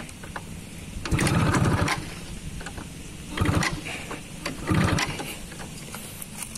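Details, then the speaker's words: 2002 Kawasaki F1ZR Caltex Special Edition (H2K) two-stroke, about 20 years old, kick-started: three short sputtering bursts that die without catching; hard starting, owner suspects the oil setting is too rich. "Susah ini. Mungkin ini settingan olinya terlalu banyak ya itu."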